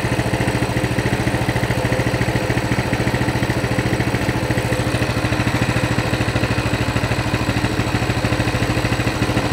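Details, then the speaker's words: Coleman CT200 mini bike, non-adjustable carb, throttle return spring off: an even, steady putter without misses at about 1600 rpm, near the 1700 target, with some fluctuation. The clutch isn't engaging: a normal idle. "we're at 1600 so we're within 150 of the 1700 mark it's fluctuating quite a bit but there you go clutch isn't moving"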